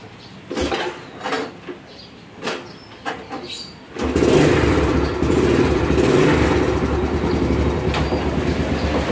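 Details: 2010 Yamaha Vega ZR whose engine dies whenever it is put in gear, with a coarse noise at idle and low rpm that fades with slight throttle: loose clicks, then a coarse, uneven idle rumble; caused by a worn clutch bell.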